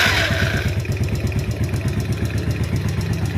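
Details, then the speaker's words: Yamaha Vega ZR burning oil (over 50% lost in a month from worn rings and liner), just started at idle: uneven coarse rattle on each firing pulse from a stretched cam chain and worn camshaft; worn cam chain and camshaft. "terdengar ada suara kasar juga Kang Bro Ada kemungkinan berasal dari area rantai keteng ataupun klep bisa jadi ya"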